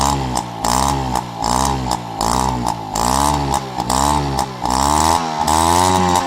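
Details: Peugeot 103 RCX moped two-stroke, first start after full engine rebuild and carb cleaning: blipped about once a second, revs rising and falling cleanly without stumbling; running healthy.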